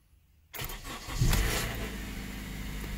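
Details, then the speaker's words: 2014 Honda Accord LX-S, 2.4 Earth Dreams, cold start on a cool 60°F morning: a quick, rough rattle lasting about half a second to one second, then a steady idle; owner wonders whether it is timing chain/VTC rattle. "This is the startup noise that I get for maybe 1 second on a cool morning. It's 60 degrees right now."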